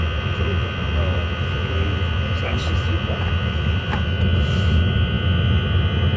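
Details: Chinese diesel heater in a Talbot Express camper, after an attempt to quieten its jet-engine noise; deep steady roar with constant hum, no knocking; loud noise is coming from the exhaust rather than the heater unit itself.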